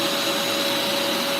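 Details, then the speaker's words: Bissell Lift-Off shampooer, suction motor running while spraying: constant high-pitched whine with an airy rush, perfectly even; suction works and water is coming out, with the diverter directing suction to the floor nozzle. "All right, so the suction is working. See, the water's coming out, right? Water's coming out."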